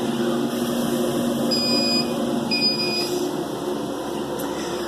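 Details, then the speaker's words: Arduino safety system on a 50 W Chinese laser engraver: two high steady beeps, each about half a second, over a constant fan hum, the over-temperature code for the work area being too hot, which shuts the laser off. "And so it'll start beeping. I think I'm doing 2 beeps for the work area being too hot. Again, it turns the laser off, and you're hearing those 2 beeps."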